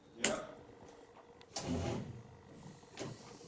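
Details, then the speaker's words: Chevrolet Corvair first start after engine reinstall, earth strap disconnected, battery at 12.5 V: three single starter clicks with no cranking; low voltage suspected, unconfirmed. "Went to crank it over again and it just does nothing. Like, you can hear it starting, it's trying to start to turn the engine over, but it goes click and then like it's not got enough voltage."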